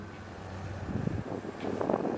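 A low cranking rumble gives way to rough firing bursts near the end, with wind in the background, as the old six catches and starts.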